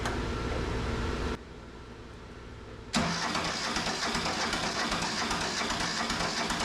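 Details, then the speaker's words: Neglected Mitsubishi MT372 diesel tractor, long sitting, cranking on a weak battery with charger: long steady churn, never fires despite black smoke; no-start later traced to a loose injector line. "She needs to start before the starter gives up. I don't understand why she's not barking off. I would have thought she would have fired already."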